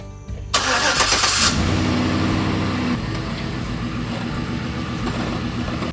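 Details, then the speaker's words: Chevy truck after frame restoration, fuel tank and muffler reinstalled: cranks, catches, idles with quick uneven puffing tick about four per second; small exhaust leak suspected from wrong clamp. "It sounds like there's like a little exhaust leak, I think because I have the wrong clamp."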